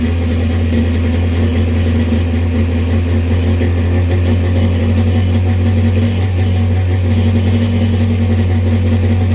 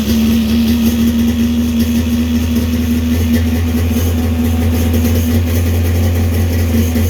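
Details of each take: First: 1995 Sea-Doo XP 951 two-stroke after carb installation, idling steadily at about 2,800 rpm, slightly high, since 951s tend to run away; the idle knob needs backing off a hair. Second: 1995 Sea-Doo XP with a swapped 951 two-stroke engine and freshly rebuilt choke carbs: a steady, slightly fast idle of about 2,800 rpm with an even buzz and no stumbles. Idle to be turned down a little.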